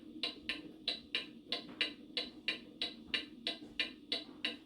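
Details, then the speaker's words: Antique pendulum mantel clock lifted on one side until it is back in beat (fix: nickels under the left side): crisp, evenly spaced tick-tock at about 90 beats per minute with equal gaps. Clock in beat. "This is the proper beat. So I would put some nickels under the left side of the clock so that I could get an even beat like that."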